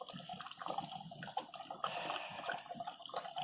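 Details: 2012 Mini Cooper, 150,000 miles, misfire codes P0303/P0304, excess oil, heard hot: irregular gurgling and bubbling in the coolant as combustion gas enters the water jacket; compression around 45–70 psi, blown head gasket, head to be removed.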